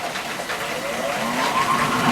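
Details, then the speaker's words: Jandy JXi gas pool heater startup after switch-on: a click as the bypass valve moves, pump speeds up, then a soft hiss builds into a rising, steady whoosh like a little jet engine as it primes and fires; normal startup. "here it's starting up. It's like a little little jet engine."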